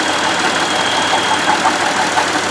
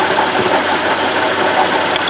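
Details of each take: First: Buick Lucerne at idle, close to the engine belt drive: smooth, even whir from the alternator with no grinding or whine, sounds pretty normal; the noise traced to play in the water pump bearing instead; normal alternator. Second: Buick Lucerne (worked on as a LaCrosse) at idle: steady hissy rushing with a faint rough grind and no clear knock, all coming from the water pump, whose bearing is wearing out; pulleys, alternator and idler sound normal. Owner reports it deafeningly loud.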